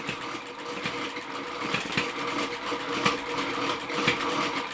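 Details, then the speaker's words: Stirlingkit Okmo & Retrol B01 ball-top vertical hit-and-miss engine belt-driving a windmill and pump accessory: light quick clatter with a sharper pop about once a second as it fires and coasts; barely strained, windmill grinding for lack of oil. "Doesn't appear to be putting hardly any strain whatsoever on the BO1 engine."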